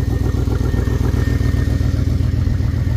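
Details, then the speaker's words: Square-body dump truck sitting about ten years, after freeing stuck carburettor float and fitting new gasket: steady even idle with firm low thump about 2.5 times a second, no misses or knocks; normal idle. "all right there we go got her back together sitting here idling we didn't do anything else to the car but get the float done stuck and throw a new gasket on"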